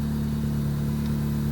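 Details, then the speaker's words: 2001–2005 Honda Civic just after ignition switch replacement: starts right up to a steady, even idle hum with no knocks or misses; running normally. "Boom. Starts right up. No issues."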